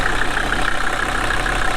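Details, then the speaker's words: Steady, even diesel clatter at idle with no misses or knocks, heard while jump-starting a long-sat Mercedes 240D OM616 four-cylinder from another five-cylinder Mercedes. The 240D's fuel rack was stuck wide open and it ran away briefly. "So this is the first sign of life in probably 15 years."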